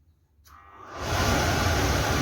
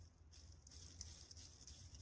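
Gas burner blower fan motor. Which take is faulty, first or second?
second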